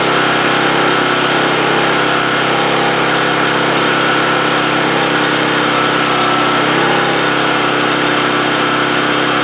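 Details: 2008 Homelite GC1800A 1800 W generator that only ran on choke, after its pilot jet was opened up; about 10 minutes into running with the choke plate wide open, a steady, even drone with no surging, running normally.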